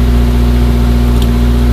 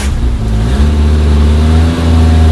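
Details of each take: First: Suzuki Samurai SJ413 1300 (JA51) at first start after fitting a Toyota Corolla 3K-C 1.2L carburetor, choke on, fuel fed from a funnel: even, steady low hum with no misses or hunting. Runs pretty good; normal idle. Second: Suzuki Samurai/Jimny 1300 SJ413 JA51 just fitted with Toyota Corolla 3K-C 1.2L manual-choke carburetor replacing a Weber; cranks, catches and settles to steady even idle, deep smooth rumble, no knocks, runs well.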